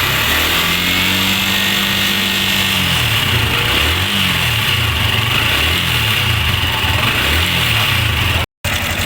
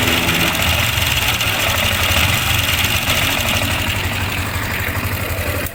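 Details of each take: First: Sniper 155 single-cylinder motorcycle idling evenly and quietly with fresh oil, idle raised and cam chain tensioner adjusted by hand, after earlier cam bearing and clutch damper replacement failed to cure the noise; no chain rattle or valve ticking. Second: Sniper 155 idling after another shop replaced cam bearing and clutch damper: busy rattly clatter over exhaust beat; manual tensioner adjuster nearly bottomed out, stretched timing chain, valve clearance also to check.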